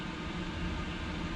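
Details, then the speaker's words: Chinese diesel heater in an overland teardrop trailer, recorded inside with the door shut, fan on high: quiet even whooshing hum with a low drone, no ticking, rattles or pitch wobble; blower fan running normally. "I definitely can't hear the ticking. Definitely not."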